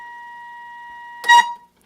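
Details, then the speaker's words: Knight (Allied Radio) 1960s solid-state FM monitor receiver on the 30–50 MHz band, no antenna, fed by an RF generator near 46–47 MHz with modulation on: clean steady mid-pitched test tone without crackle, then a short burst and quiet; normal reception. "Let me turn on some modulation. Now you can hear it's working."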